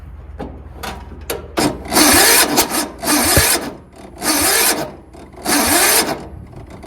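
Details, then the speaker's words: Yard Machines (MTD) 38" riding mower, 13.5 HP Tecumseh engine, before valve adjustment, nearly empty tank, starting fluid sprayed: sluggish, labored cranking in roughly one-second bursts, no firing; starter hot and smoking, cranking too slow for good spark; valves out of adjustment. "yep that starter is a little bit hot there it's kind of smoking but it's just not going fast enough it's not cranking fast enough to get a good spark"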